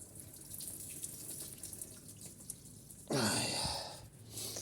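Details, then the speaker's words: Car with coolant drained to check for oil in the cooling system, then refilled. A faint idle, then a sudden watery gurgle and bubbling from the tank as trapped air purges; the car was stopped at about 47 degrees. "You'll hear a little gurgling noise in a minute. That's going down."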